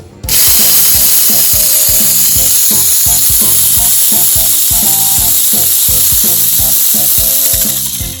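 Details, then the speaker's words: Mini 4WD FMA chassis with stock transmission setting at max: harsh high-pitched gear whine with ratcheting buzz; noisy because the crown gear stopper sits on the chassis wall. "Tapi kuatnya itu kalau settingan bawaan itu berisik. Nah, berisiknya itu coba kita dengerin dulu ya suaranya yang di max."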